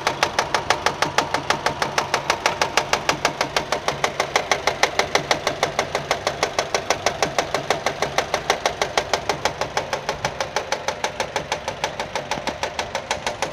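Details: Nissan at idle with a sharp, very regular slap about three times a second; engine found fault-free, noise came from a fraying alternator belt striking the metal body.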